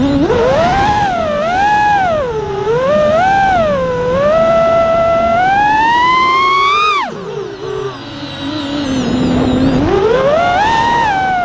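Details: A quad flies after replacing two failing ESCs with DYS 35A units; the earlier noise was from the ESCs, not the iFlight motors. A high whine rises and falls smoothly with throttle, with no buzzing or frame rattle. The motors sound healthy.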